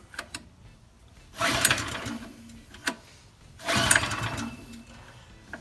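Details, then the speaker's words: Old TQ3600 generator with a TQ 7 hp engine, not cranked in at least 5 years, low compression, choke left off. Two quick recoil pulls, each a whirring spin that dies away with no firing: cranks but will not start. "Okay, so not even a blip. And oh, choke was not on."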